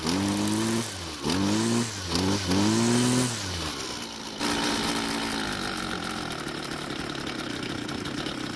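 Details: String trimmer two-stroke that is hard to start when hot: engine surges up and down in pitch, then settles to an uneven, wavering idle; rough idle before carburetor adjustment, fuel in tank looked bad.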